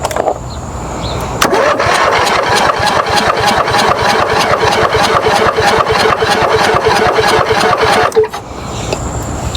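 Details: Toro riding mower with a possibly incorrect throttle setting, owner unsure: steady starter cranking at roughly three beats a second for about seven seconds, never catching or firing into a run; spark had not yet been checked.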